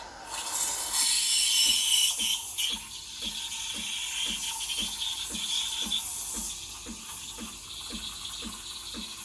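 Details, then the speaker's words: Breville Barista Express BES870 steam wand texturing milk: loud steady high hiss with soft ticking about three times a second as air is injected. Normal texturing sound that creates thick, bubbly milk. "Can you hear the hissing sound? That hissing sound is what creates that thick, bubbly texture."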